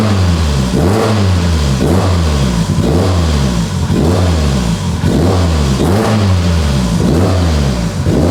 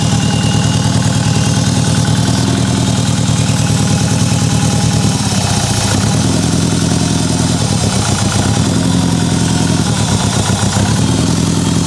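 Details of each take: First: Mitsubishi Evo 8 restoration, first start on a base map, good oil pressure: repeated clean blips, pitch rising and falling about once a second, crisp and even; engine revs freely and sounds healthy. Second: Mitsubishi Evo 8 restoration, first start on a base map, medium-cold, ETS exhaust: lumpy idle with an uneven stumbling beat and a missing pulse; misfire, cylinder 1 not firing, cause (coil, plug, injector or dead cylinder) unconfirmed.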